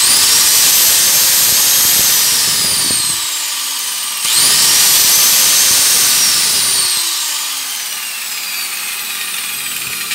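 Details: Angle grinder that would not start, tested after bypassing the faulty switch with a jumper wire from the power cord to the motor supply: a high, clean whine spins up fast, holds even pitch, then coasts down, twice; runs normally.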